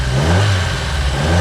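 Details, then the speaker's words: Fiat Seicento small petrol engine revving evenly after spark plug refitted without its damaged washer; the ticking and rattle, suspected air blowing past the washer, are gone. "That's a lot. That sounds better as well, doesn't it? The ticking and rattling the engine made, which we suspect was air blowing past the damaged washer, appears to have gone too."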